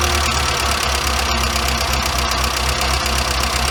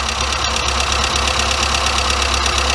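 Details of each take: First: Warm engine with Weber 38 DGAS carburettor, both idle screws backed out as a starting point: high, busy idle with a steady even beat, idle speed too high and mixture too rich so it will start. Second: Weber 34/38 DGAS carburetor on a warm engine, after each idle mixture screw was given an extra quarter turn richer on both sides: it settles into an even, steady idle with regular firing pulses and no stumbling. The idle speed is then lowered.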